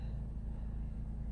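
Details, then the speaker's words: 2007 Chrysler PT Cruiser, non-turbo 2.4 L, manual, started after oil refill with Marvel Mystery Oil following Liqui Moly engine flush: smooth, even low rumble, no knocks or ticks; healthy, steady normal idle. "she sounds good oh yeah"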